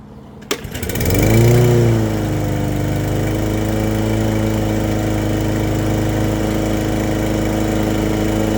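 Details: Brand-new push mower after its plastic carburetor was rebuilt and the spark plug gapped to 0.030 in, oil checked: pulls over, catches, spins up and settles into a smooth, even drone at steady speed with no misses; runs well.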